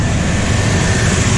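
Steady, even low rumble from the V6 with no ticking, puffing or misses; engine sounds healthy and smooth.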